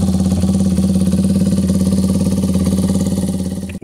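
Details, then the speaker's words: 2002 Yamaha YZ250F revived and nearly fully reassembled, started a few minutes earlier after carb rebuilt from several carbs' parts and tuned: crisp, even single-cylinder pulses at steady idle, then a quick clean blip picking up sharply; healthy, revs crisp. "boys and girls there she is almost totally back together after I started a few minutes ago sounds good rev's great really really crisp"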